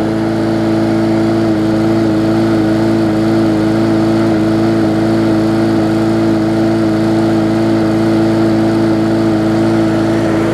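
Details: Bolens push mower with a Briggs & Stratton engine (classic or newer OHV), restarted after refitting the air filter following no-start repair. Loud, steady drone at constant pitch with no surging, misfires or knocks; running smoothly.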